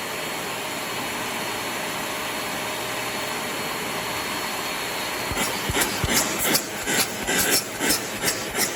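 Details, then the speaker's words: Trash-find Shark Navigator vacuum after clearing a clog, switched on to suck leftover debris into the dirt cup: steady high motor whoosh with good suction and rattling bursts as debris passes; running normally. "see if we can suck the rest of that into the dirt cup turn it on there it is still pulling stuff"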